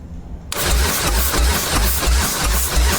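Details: Display motorcycle, jump-boosted, full throttle, fuel squirting from the decompression area: starter spins steadily with even, slow compression thumps and no firing; cranks but won't start. Spark plugs suspected, not confirmed.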